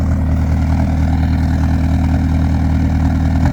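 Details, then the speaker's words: Peugeot 205 Turbo Diesel with lightened 4.5 kg flywheel and performance clutch, during idle adjustment: slightly uneven low throb, idle higher but not steady; better than before but still unstable idle. "Ah non c'est pas bon encore. C'est encore pas bon. C'est dingue hein, il manque pas grand-chose mais on est encore pas bon."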